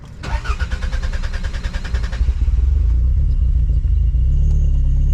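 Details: Toyota MR2 (SW20) engine just after coolant refill and manual bleed cranks, catches and surges to a loud, sustained high idle instead of settling, with an unusual exhaust noise; throttle cable sticking the throttle open.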